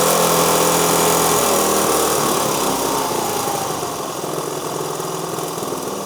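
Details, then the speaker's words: 1973 Honda CT90 with a cleaned and rebuilt vintage OEM carb replacing an aftermarket one, first start and dialing in, "really close". Small single ticks over at a steady, even pace with a fan's whoosh fading behind; normal idle. "Let's see if we can get it dialed in a little bit better. Honestly, that is really close."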